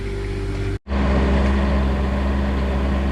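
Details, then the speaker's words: Onan Quietdiesel 7500 W generator in a 2000 Holiday Rambler Endeavor, 2400 run hours, after full service, loaded with both rooftop air conditioners: steady diesel drone settles smoothly, no knocking or hunting, quieter than before; normal running under load. "I've got both the air conditioners on now, and my new rooftop airs are more efficient than the old ones, which makes it quieter. Again, it's not silent, but this is a big improvement versus previous."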